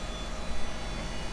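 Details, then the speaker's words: Old Windows XP traded-in computer, older hard disk spinning: steady low whirring drone with faint fixed tones from noisy bearings. "You can hear the bearings in that thing. It's amazing how whisper quiet these things are nowadays versus the older ones like this."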